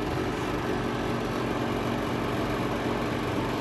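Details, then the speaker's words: Montlake 300 fireplace blower fan running with a metallic buzzing vibration over the airflow; the noise stops when pressed down and returns on release, only on one side. "see that's the way i'm expecting to hear just a fan but i don't i hear metal vibration"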